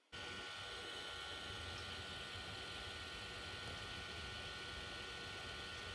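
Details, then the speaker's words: Portronics Beem 520 budget LED projector: steady, even airy whoosh with a faint hum that never changes pitch. This is the continuously running heat-sink cooling fan, a normal and expected humming noise. "So there is a heat sink, which is a fan which is continuously rotating. So there is a little bit of that humming noise that you can expect out of this projector."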